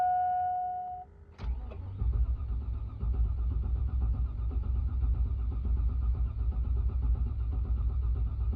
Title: 2002 GMC Yukon (crank but no start)